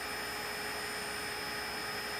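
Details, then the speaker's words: Wilo pump motor during initial test run: steady high-pitched whine and hiss over the motor hum, coming and going and worsening intermittently, louder under load; cause unknown, bearing suspected; abnormal motor noise. "이건 이게 소리가 나다가 어느 순간 안 나기도 하고 심해지기도 하고 이제 그렇습니다"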